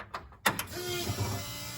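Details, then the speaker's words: Jeep with newly installed ACES Fusion EFI, key on: click then steady loud electric hum of the fuel pump priming with engine not running; pump is noisy but drowned out once the engine runs. "Hear the fuel pump run. Fuel pump's noisy, but so is this [music] thing, so once it's running, you don't hear anything."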